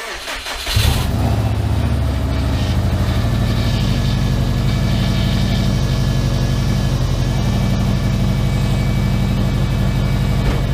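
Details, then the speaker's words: Subaru Impreza engine rebuilt with SOHC heads, newly wired and with new exhaust, on its first start: brief crank, then it catches straight away into a steady, even low idle with no misfires or knocks. It starts and runs normally. "The main goal was to get this thing to start and run, and it started and ran. Realistically, it's everything that I kind of hoped for."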